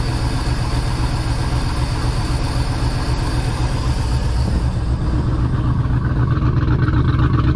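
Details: Project boat, port engine at its first start-up on a water hose: deep even idle rumble with a slight rise in revs near the end and no knocking or tapping; sounds healthy, unlike the starboard engine with its suspected rod knock.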